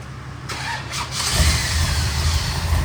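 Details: 1965 Shelby Cobra big-block V8 after idle adjustment, about 160° on temperature: brief crank, catches at once and settles to a deep steady rumble; clean healthy restart.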